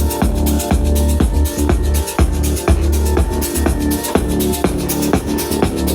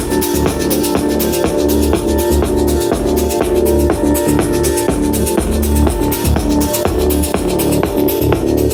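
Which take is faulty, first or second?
second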